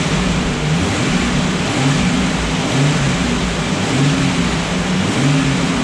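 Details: Restored Jurassic Jeep #73 engine on its first run after reassembly, distributor turned 180° to fix starting and stuck rpm gauge fixed; break-in run raising and lowering rpm for 20–30 minutes as heat comes up, note swells and falls smoothly, no knocks: normal.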